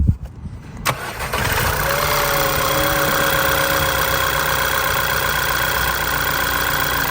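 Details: 2010 VW GTI 2.0 TSI after PCV diaphragm replacement (code P2187): brief crank, quick catch, then a steady, even idle with no whistle or stumble; normal start and idle.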